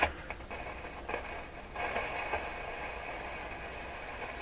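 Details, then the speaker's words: Rogers 11RA651 shortwave tube radio, volume turned right down: steady hiss with irregular crackles and pops, sensitive to physical shock; suspected loose wire underneath or a bad tube grid cap, not yet found. "this this sounds like a loose wire or something underneath that's what it sounds like to me"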